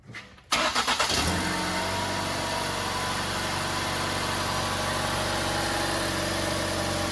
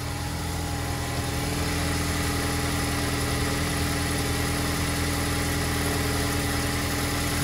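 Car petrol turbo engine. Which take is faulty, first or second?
second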